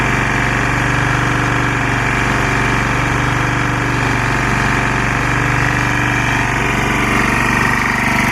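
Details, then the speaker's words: Lombardini 6LD260 air-cooled diesel on a traffic sign, just cold-started after 10 years unused on fresh fuel, alternator charging battery; steady even idle clatter, note dipping slightly as the sign lights flash; normal idle. "you can hear the engine [Music] tone change a little bit as the light flashes"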